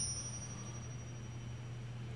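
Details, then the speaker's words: Ring test on a cleaned Honda Civic VTi D16Y8 crankshaft during a rebuild: a clear bell-like ring hangs on steadily for over two seconds. Even a hairline crack would give a short ring, so there is no crack. "see again yeah yep so when there's an inherently even just a hairline crack that ring The Greening sound is not going to be that long it's going to be short"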